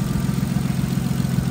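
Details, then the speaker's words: Nissan R33 Skyline engine after reseating a coil pack that was not sitting properly on its spark plug, which had caused clicking and knocking on a cold start: now a steady, low, even idle with no misses; normal. "Now, smooth as a whistle, how it should"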